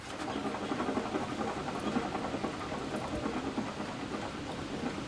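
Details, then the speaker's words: Gravely mower blade spindle, pulley removed, spun by hand: gritty, rasping whir with fine rapid ticking; sealed bearings probably dry and cannot be greased; spindle bearings due for replacement. "the bearings are probably dry because they're sealed. There's no way to grease these bearings."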